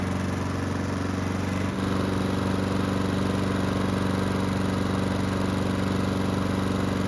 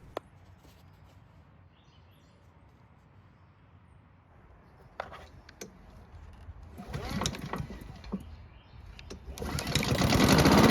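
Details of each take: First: Honda mower after carburettor work, restarted hot after several minutes running: steady even beat with no surging, though lightly smoking; normal running. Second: Free Honda mower engine, carb and airbox just refitted, left carb bolt threads not catching; it starts and runs but speed keeps rising and falling in a hunting rhythm, surging and unable to hold steady speed; cause unconfirmed.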